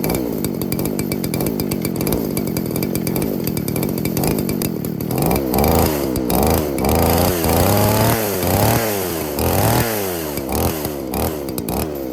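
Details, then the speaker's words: Roughly 40cc two-stroke chainsaw on vodka, no oil, after field carb clean removing water and gunk: catches and runs, blipping up and down under throttle without stalling or sputtering. Normal running. "it runs really well what do you know she cut the saw actually did pretty good for running on vodka"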